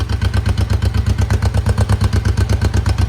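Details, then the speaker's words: 1972 Honda CL350 twin just started cold with choke, not yet warmed up: steady, even low thrum around 1100 rpm with no misses or stumbles; both cylinders pulling equally by tailpipe pressure. Finding: normal idle. "It's rolling right around, I would say that's about 1100. And it sounds really good."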